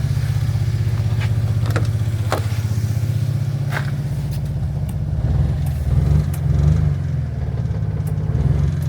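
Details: 1991 Daihatsu Mira van from Japan with oil-soaked ignition parts from a valve cover leak: idle runs unevenly with irregular stumbles and chuffs, roughening midway; misfire pointing to oil-fouled, burnt spark plugs.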